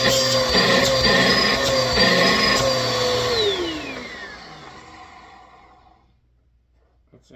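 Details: Bissell PowerForce Helix 2191 upright vacuum, reassembled with an older Bissell hose: steady high motor whine with strong airflow rush, then even spin-down at switch-off; runs healthy.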